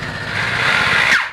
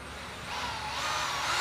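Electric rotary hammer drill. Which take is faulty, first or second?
first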